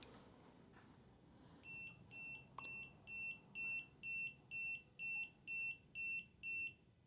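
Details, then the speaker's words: ENNOID XLITE V3 smart BMS switched on before configuration: eleven even high-pitched beeps, about two a second, the over- or under-voltage protection error. ""11 beeps, that's the error that I expect."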